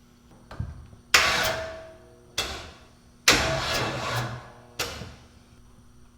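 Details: Big block Chevy jet boat, first start on an old jump box: short bursts of slow, labored cranking with long pauses and the engine never catches; cause suspected, not confirmed.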